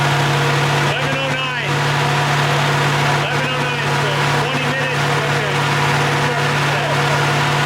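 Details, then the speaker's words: AMC 360 V8 just rebuilt after a lost cam, with new Summit 8600 cam, lifters, timing set, bearings, Edelbrock carb, HEI distributor, ZDDP oil: smooth, even 900 rpm idle with a steady low drone, no knocks or ticks; oil pressure 25 versus under 10 before; normal idle. "That's a 900 RPM idle. I'm gonna bring it down."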